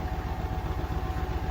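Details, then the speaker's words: Beko WTK104121A 10kg 1400 rpm washer, Cottons 40° + Fast+, spin: fast steady thumping knock over low drum hum, door clattering as the unbalanced load shakes the machine. "Like, see how, with it being unbalanced, can you hear the door, like, clattering a bit?"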